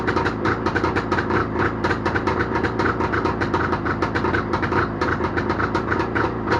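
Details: Jawa motorcycle two-stroke engine started after repair, with a quick, even popping beat holding steady, no misses or knocks; normal running.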